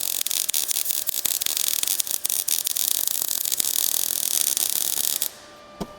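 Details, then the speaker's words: MIG welding a bead across a gap onto a drop-down support on thick metal for 1956 International COE truck running boards: steady frying hiss, softer and less crackly due to the gap, even for about five seconds; smooth weld. "There's a bit of a gap here. So, that's the sound you're hearing. Here I sound softer and less crackly"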